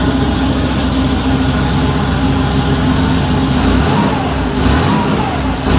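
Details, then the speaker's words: Freshly rebuilt Porsche 911 3.2 Carrera flat-six with a Monty muffler, on an engine stand soon after a cold start: a loud, full exhaust note revving cleanly with no knocks or misses; it runs beautifully. "That Monty muffler sounds fantastic. It's got a little bit of a note to it, but it's not obnoxious at all."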